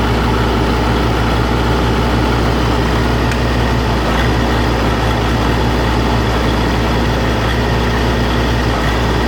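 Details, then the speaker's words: Oliver 1600 diesel tractor, hours unknown (clock broke at 1100), valves already checked: fine at idle and PTO speed but at mid-range rpm it coughs, spits and stumbles irregularly; owner suspects the injection pump, possibly energy cell, unconfirmed. "You can hear it just kind of all over the place. It coughs and spits, and it's just not smooth. And my understanding is that it should run pretty smooth."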